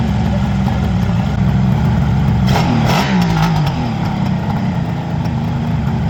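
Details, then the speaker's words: Freshly restored 1975 Kawasaki H2 750 two-stroke triple, first proper run after ignition checks and carb balancing, airbox off (running lean): crackles along evenly and picks up cleanly on revs; healthy running and revving. "Listen to that. Music, man. What do you think, Brent? I think it's awesome, Pete."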